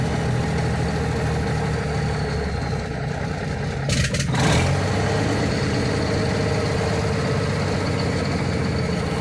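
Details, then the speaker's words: 1979 Kenworth W900A restoration, diesel running off a temporary 5-gallon can, door open, throttle-switch-wired Jake brake tested: steady, even diesel chug with a brief sharp barking burst as the engine brake engages; works, sounds healthy. "Open the door here. There you go. Take a listen to the Jake's."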